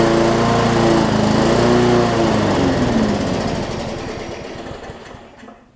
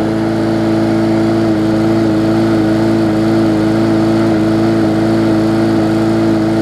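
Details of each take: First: Bolens push mower with Briggs & Stratton engine, no-start from bad fuel: fires with a quick even beat, then loses power, sputters and quits; lots of water found in the fuel. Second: Bolens push mower with a Briggs & Stratton engine (classic or newer OHV), restarted after refitting the air filter following no-start repair. Loud, steady drone at constant pitch with no surging, misfires or knocks; running smoothly.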